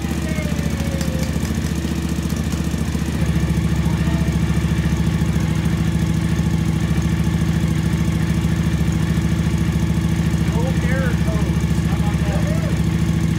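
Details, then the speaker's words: 2012 Suzuki V-Strom DL1000 project bike after valve adjustment and gas-tank work, first run on reassembly: even, steady V-twin idle with a regular low thump and no ticking or misfires; the bike runs smoothly. "let's see what [Music] happens sounds like a slime machine good"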